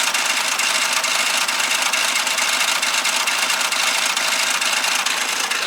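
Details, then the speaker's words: Korean car with 1.7 engine and dual-clutch (DCT) gearbox, typically failing around 100,000 km: loose, uneven, bright metallic chatter and shudder at idle, about two a second; failing DCT, not engine. "DCT 미션이 장난을 치면서 떨고 있어요. 아이고야."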